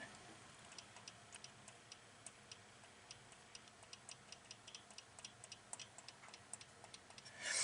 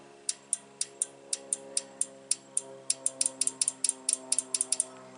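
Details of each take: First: Unidentified relay in a 2017 GMC Denali X50A underhood fuse block (replaced over wipers not working), bench-energized: faint light ticking about three per second, barely audible, no solid clack; weak relay click. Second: Relay in a 2017 GMC Denali X50A underhood fuse block, bench-tested with 14 V on the coil: crisp, sharp clicks about four a second, clean with no chatter or buzz; relay switching properly.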